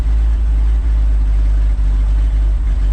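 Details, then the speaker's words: 1962 Ford F600 warming up, temp near 115, choke being pushed down: low steady idle with an occasional dropped beat about every half second; misfire at idle, cause unknown. "see if we can throw the choke down a little since it's warming up it starts misfiring a little bit"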